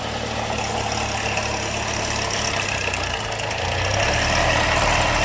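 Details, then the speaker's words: Long-sitting car with crank/cam correlation codes and full but dirty oil, at idle: fast, busy metallic chatter about three or four a second over the engine; suspected timing chain rattle. "That's chain issues, you hear it?"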